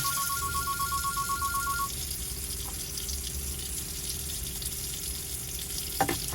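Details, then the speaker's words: Swift Wrenbury caravan water system, pump on, cold tap open to clear airlocks: steady hiss of running water over a low pump hum, no spitting or surging. The flow is even and the air has cleared. "So cold tap on, clear any air. When it's coming through nice and steadily, turn it off."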